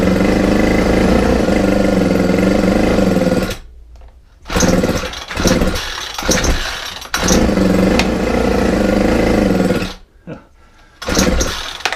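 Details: Ryobi four-stroke string trimmer, cold morning, after a carburettor mixture screw adjustment: buzzing run for a few seconds, then it drops out, sputters back twice and stalls. Owner suspects throttle-cable slack keeps it from opening fully; might refit the old carburettor.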